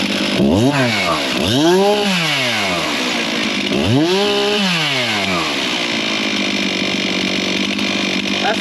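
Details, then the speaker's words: Two-stroke chainsaw after carburetor adjustment, cooled off and restarted: snaps up crisply through several quick revs and drops back to steady idle with no hesitation or bog; sounds way better. "That sounds way better."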